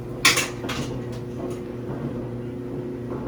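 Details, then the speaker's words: Samsung dryer after repair and reassembly: a quiet, steady drum hum with a few light clinks at first and no thumping. The previous bumping noise is gone. "It's so nice to just hear quiet once again cuz that bumping was driving me nuts, guys."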